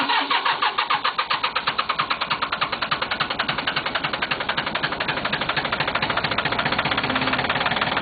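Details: Cub Cadet diesel tractor, sat a few hours, around 48-50°F, glow plugs heated, previously cranked and smoked but wouldn't fire: rapid even cranking, about eight pulses a second, blending into a steady run as it catches. Normal diesel cranking and start.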